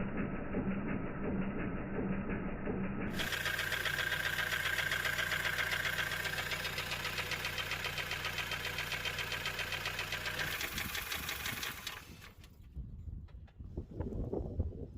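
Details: Honda CR-V with K20A4 petrol engine at idle: a steady, rapid knocking rhythm over the running sound; owner suspects a wobbling harmonic balancer, cause unconfirmed.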